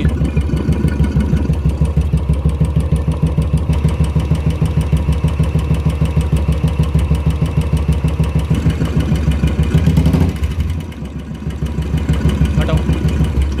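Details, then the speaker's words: Royal Enfield Classic single at idle: light, regular ticking in time with the engine, quieter at first but slowly growing; worn hydraulic tappets with play that won't pump up, so they need replacing. "आवाज़ कम है but आस्ते आस्ते बढ़ रही है"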